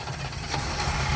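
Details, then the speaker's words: 1967 Chevy Biscayne sedan V8 pulled from a junkyard, fired straight up on a fresh battery after basic fluid check; low, even rumble at steady idle with no knocking or ticking, running healthy and quiet. "It's fired up. It's made minimal noise."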